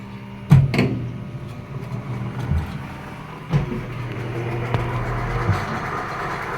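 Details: American Home automatic washing machine on a spin-dry test after a not-draining repair (clutch fixed; frame rusted from rain exposure). The drain motor now pulls and the tub spins. Low steady motor hum with a few light handling knocks, so the spin sounds normal.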